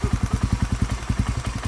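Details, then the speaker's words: Motorcycle with stock Tsukigi pipe (to be replaced soon), mic covered: very quiet, soft even exhaust pulses around nine per second at idle, steady with no ticking or clatter; normal healthy idle. "Sobrang tahimik niya, oh. Tahimik, no?"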